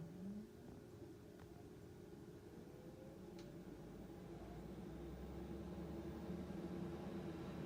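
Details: 10-year-old Panasonic NA-VR1100 drum washer-dryer after its blower fan motor was replaced (the old one had a seized, contaminated bearing): low, even hum and steady whir with no rattle or grind, normal quiet drying.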